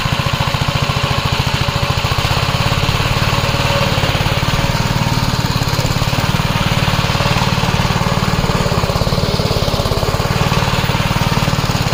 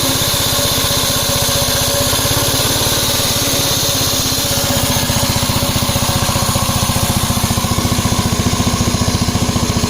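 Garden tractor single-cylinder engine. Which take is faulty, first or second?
second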